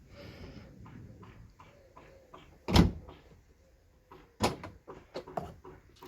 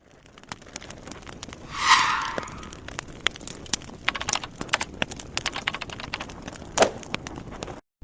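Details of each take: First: Ford Fusion tailgate after lubricating the hinges behind the trim panel: opens and shuts with a solid thud and light latch clicks, bump stops working, no creak or squeak from the hinges. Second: Ford Fusion trunk lid: one drawn-out rising creak as the lid swings, then a short chirp among light clicks; squeaking dry trunk lid hinges.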